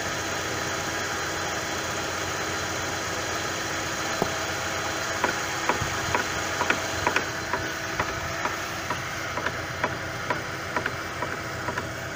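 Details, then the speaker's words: Chevrolet Lacetti, right side, in gear after outer CV joint replacement: light, even knocking about twice a second over the running engine, caused by an untightened front wheel hub. "выяснилось это ступица [музыка] чему не зажата и получается такой характерный звук"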